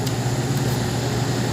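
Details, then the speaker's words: Microwave oven on 220 V AC running normally with a steady low hum and even buzz, no arcing or rattle; the timer and heat setting cycle the supply on and off rather than feeding it continuously. "So, hindi tuloy-tuloy yan na, yan o, nagkakaroon ng cut-off yan ha."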